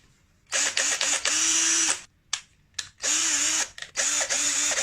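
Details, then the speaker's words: Dongcheng cordless drill, originally noisy and slow, bench-tested after fitting a used original 550 brushed motor with new carbon brushes. In short trigger bursts it spins up quickly to a steady, even whine with no grinding or stalling. "好，这个声音非常有力我们现在可以装机。"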